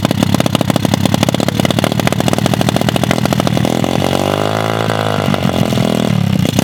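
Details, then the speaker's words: Lake-recovered mini pit bike, engine water-filled, fresh oil, ethanol-free 93 fuel, first start: rapid crackling beat catches, revs up and settles into steady run as WD40 burns off; fires cleanly and keeps running. "oh that's all the WD40 just burning off it guys wow this thing actually runs"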